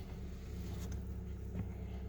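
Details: VW Passat B5 1.8 Turbo, cold after an overnight sit, coolant about 1.5°C, low battery voltage, just started: steady, even low hum with no misses, knocks or hunting; a smooth, stable normal idle.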